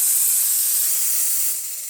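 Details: Profitec espresso machine after a full service, descaling and a pump replacement: the steam wand gives a steady, even high hiss of dry steam with no sputtering or spitting; it is working properly.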